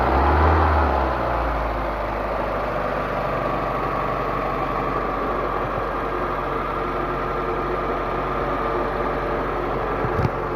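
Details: Proton Waja after water pump replacement, formerly noisy from a failed water pump bearing: steady, even idle with a smooth low hum and no grinding or whirring from the front of the engine; normal idle.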